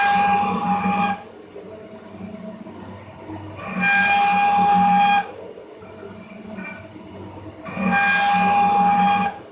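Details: Cincinnati 24-inch metal shaper at 14 strokes per minute, 13.5-inch travel, parting off a gib with rough-ground cutter in long holder, part overhanging table: loud ringing squeal each cutting stroke, stopping on return; chatter, suspected from cutter geometry and part harmonics.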